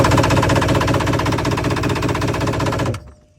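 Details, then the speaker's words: 1999/2000 Yamaha WaveRunner XL1200 sat about a year, full tank of old gas, good spark: steady cranking chug about 2.5 beats a second for three seconds, never fires; cranks no start, owner suspects fuel pump or fuel sending unit. "I don't know if it's the fuel, running the fuel pump, starter. I don't think it's starter because it has good spark. I know the engine motor is good, but I'm not sure."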